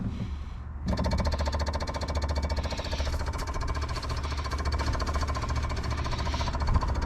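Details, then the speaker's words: 1979 Mazda RX-7 rotary that sat over 10 years: electric fuel pump buzzes fast and steadily, about 3.5 per second, but nothing comes out of its discharge while it pulls vacuum; owner suspects a clog at the tank. Fuel pump running dry. "There's nothing coming out of this. Okay, so that was drawing a vacuum on this."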